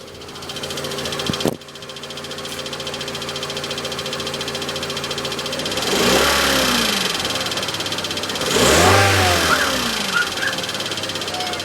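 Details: 2001 Honda Civic EX with a D17 SOHC VTEC engine and automatic transmission, idling with a light, steady clicking over the hum that rises briefly with two quick revs; unusual sound noticed recently, cause unknown.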